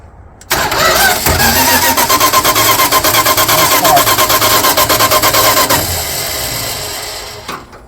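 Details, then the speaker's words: 1978 Dodge D150 with 318 LA V8 and electronic ignition, firing order checked: steady starter cranking almost three turns a second for five seconds, never firing; cranks but no start, no spark. "again no spark so so with electronic ignition how do you find out if it's getting spark"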